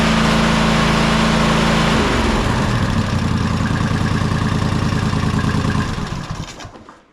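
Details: Toro Timecutter SS5000 zero-turn (model 74731), Toro-branded Loncin single-cylinder engine, after carburettor replacement: runs steady and even several seconds, then winds down smoothly at shutdown; healthy.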